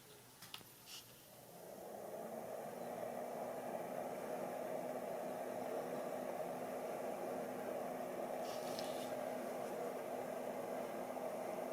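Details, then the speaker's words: PC ATX power-supply fan after deep cleaning, tested on an ATX test board: spins up smoothly, then an even, quiet whoosh with no rattle or scraping; the earlier noise is gone. "Muy bien, ahora se escucha totalmente distinto, ya no hace ese ruido."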